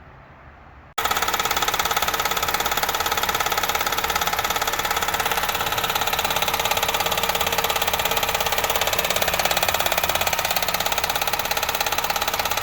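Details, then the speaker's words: 2007 Honda Civic EX with JDM 1.8L R18 swap engine, first start at home: sharp regular knocking about 3.5 per second over steady idle; internal engine knock, water later found in oil. "Get it to my house, turn it on. Knock, knock, knock, knock."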